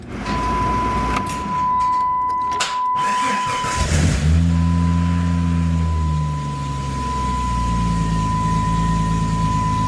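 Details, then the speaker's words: Jeep Grand Cherokee ZJ, first start after fitting a Magnaflow 15858 exhaust system: starter cranks, the engine catches and settles into a smooth, low, even, quiet idle, though small exhaust leaks were found. "It's nice and quiet. I like it."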